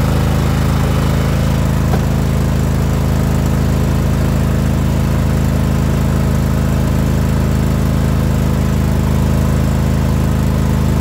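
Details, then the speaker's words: John Deere hydro mower after the start switch was rewired to the battery. Even, steady engine beat with no misses or surging throughout. Starts right up and runs well, so no carburetor cleaning needed. "And you can see that it starts right up, and it actually runs pretty good, so we don't have to clean the carburetor."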